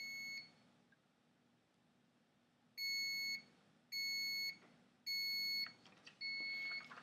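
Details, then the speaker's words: Thermal tattoo stencil transfer printer: short, even high beeps about once a second, four in a row over a quiet hum, during a print; the paper was placed slightly off. "as you hear beeping the paper was of course just a tad bit"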